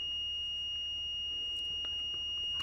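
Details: Multimeter continuity beep-test, automotive fuse testing via decade box, test leads reading about 1 ohm on beep test: a steady high beep in a quiet room at 20 ohms. Continuity is still signalled.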